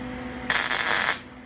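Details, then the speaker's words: About 25-year-old MIG welder: short crisp crackle lasting well under a second, then quiet; a clean quick tack weld with a steady arc. "All right, that's a quick little tack. Another quick little tack. And I can see it's sort of holding there."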